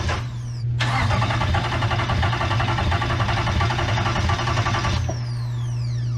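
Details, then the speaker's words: Hemi V8 swapped into a Jeep after a rollover, being cranked with coil packs unplugged to prime oil: starter spins it evenly about four seconds without firing; cranking sounds healthy. "oh it's cranking still good you're only going to crank it for like two more seconds and then we're plugging the coil packs back in"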